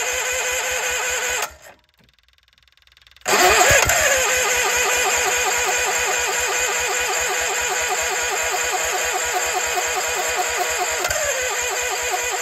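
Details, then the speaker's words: Case 1816C skid steer sat 10+ years in a barn, cranked after the flywheel and cover were refitted. The starter grinds steadily with a few weak puffs, trying to fire but not catching; a battery charger is added to maintain the battery while cranking. "but hey we've made progress to try to fire a couple times so I'm gonna grab the battery charger put it on there just to maintain the battery while cranking"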